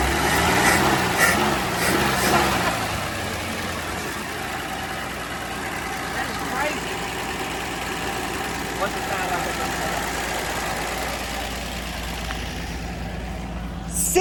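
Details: Dodge Dart slant six sitting since 1992, first start: catches roughly for a couple of seconds, then a steady, even low idle with no knock or miss, like a sewing machine; probably running hot. Normal idle.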